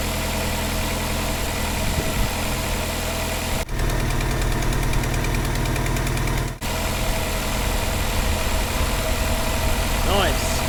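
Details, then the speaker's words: Vauxhall Cavalier X20XEV, cold run after replacing the exhaust manifold gasket and rear silencer: even, steady cold idle with a smooth low drone and no ticking from the manifold area; normal cold idle. "start that's a nice smooth running and do a nice city ticking look at that"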